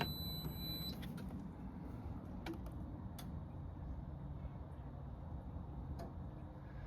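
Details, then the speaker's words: Indesit Innex XWSC61252 washing machine, brought in for not draining, on spin: a faint relay clicks in and drops out repeatedly while the drum stays silent and never turns; suspected worn-out motor carbon brushes. "So, I don't know if you heard um there was a relay that clicked, then it did. It engaged and then disengaged. Yeah, it just did it again. So, I have a feeling that the motor brushes are gone on the motor."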